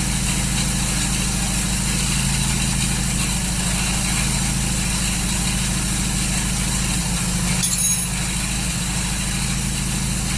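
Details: 1939 Hillman with an AC fuel pump issue and ignition timing possibly out from tinkering: lumpy, uneven idle with a ragged, stumbling beat; running rough, cause unconfirmed.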